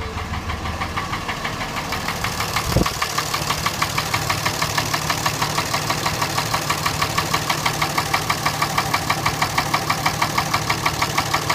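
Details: Diesel engine after replacing fuel pump, injectors and CP3, running with a steady sharp knock about three beats a second; engine knock.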